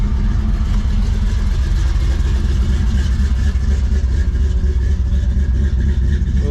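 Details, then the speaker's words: Long-bed GMC V8, cold start after a brief starter grind on the first attempt: deep, steady rumble with an even lope and no knocks or rattles; normal idle. "that was a little starter grind first time we've done that before not a good sound but listen to her now she sounds good"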